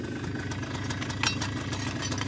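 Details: 2001 Polaris Xplorer 250 4x4 quad freshly started with starting fluid, airbox back on: small engine ticking over at steady, even idle with light mechanical chatter on top, no misses; normal idle.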